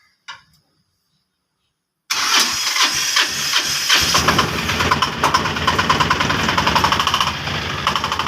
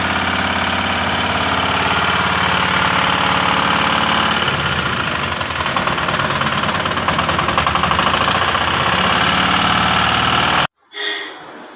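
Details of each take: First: 2022 Piaggio Ape BS6 diesel after engine rebuild for noise from broken crank thrust washer, refilled with 2 L 5W30; short crank, catches quickly, steady even clatter, no knocking; starts and idles normally. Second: 2022 Piaggio Ape BS6 diesel at idle: heavy, rough knocking at about three to four a second; broken crankshaft thrust washer let the crank balancer touch the crank.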